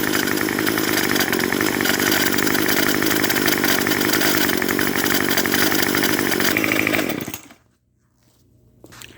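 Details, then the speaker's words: String trimmer with Craftsman block swapped in, warmed up after running a while: small two-stroke screams at high revs with raspy squeak from the clutch, which may eventually need cleaning and sanding. "g you can hear is a little bit of a squeak coming from the engine that is the clutch the clutch on these trimmers really likes to make lots of squeaking noises"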